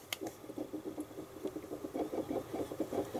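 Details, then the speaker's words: PS3 Blu-ray drive while installing a game after a full service: steady soft ticking about six taps a second as the read head moves back and forth seeking on the disc; normal operation. "disc is the head is moving up and down to try and find exactly where what and how so it is doing what it's supposed to"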